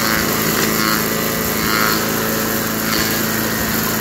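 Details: 1991 all-steel MTD 8hp chipper/shredder, a dump find with a Tecumseh HM80 cast-iron-sleeve engine, running after a new wheel and carb adjustment. Steady, throaty single-cylinder roar at full throttle, holding speed while chewing material; runs healthy and strong.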